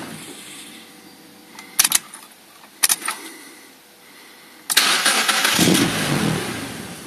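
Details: 1999 UK Mazda MX5 Mk2 1.8: brief cranking bursts fail to catch, then fires only with throttle into an uneven rev; hard starting and no idle without throttle, caused by mass air flow sensor missing its hot wire, cured by replacing MAF.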